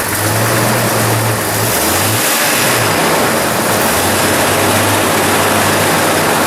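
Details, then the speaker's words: 1997–2006 Jeep Wrangler TJ, first start after installing a new Crown header-back exhaust: idle note wavers and surges unevenly under a loud exhaust, with a brief blip. Rough idle; owner thinks it may need a tune-up, cause not confirmed. "Looks like we're gonna need a tune-up maybe. A little rough idle there."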